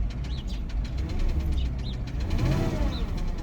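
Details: Porsche Cayenne 955, 4.5 V8 250 kW, 311,000 km, not yet warmed up, heard from outside then inside the cabin: uneven low rumble with a loose, irregular knock as revs rise and fall; engine also shaking, clearly audible knock with rough running.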